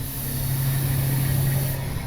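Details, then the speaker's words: Heavy truck with a lifted cab: a steady sharp hiss over the low engine rumble, air escaping from an air line accidentally bumped by an elbow while removing a pipe; air line leak. "Uh I I crawled in right here and was hitting on the inside while Cody pulled it out and I just touched whichever airline with my elbow. That one. Now you hear it leaking"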